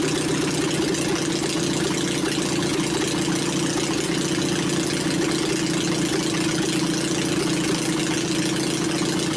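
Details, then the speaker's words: Onan 22hp opposed-twin engine on a temporary setup with points ignition retrofit and new battery; even, steady drone with no misses, knocks or surging, running smooth. Normal running. "I'd say it sounds pretty good"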